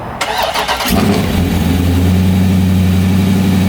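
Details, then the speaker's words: ProCharger-supercharged car, owner worried about tune issues and possible head gasket, cold start: starter spins briefly, catches within a second, settles into steady even idle with no misses; healthy cold start. "so that was fine it started up just fine that time"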